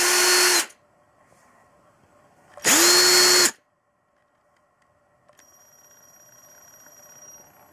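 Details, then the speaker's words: Ryobi CDC1802 18V ONE+ cordless drill-driver, 3 years of heavy use, planetary gearbox, 1300 rpm max: two brief bursts ramping up evenly with high-pitched speed-controller whine at part trigger; normal, healthy run. "Так ну что показать вам как крутит работает двигатель"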